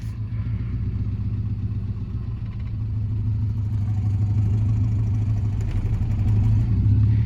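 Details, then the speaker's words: Subaru Baja, manual, check engine light on, creeping in reverse: low, uneven chugging idle that stumbles in a steady rhythm from a cylinder 4 misfire. "But it does run, and you can hear the chugga chugga chugga chugga chugga. Yeah, that is the cylinder 4 misfire."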